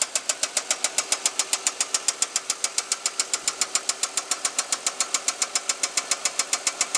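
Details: 2005 Equinox engine knock at idle: sharp, very even ticking about 3.5 per second from top end; oil pressure good, no metal in old oil; owner hopes it is a loose rocker arm, cause unconfirmed.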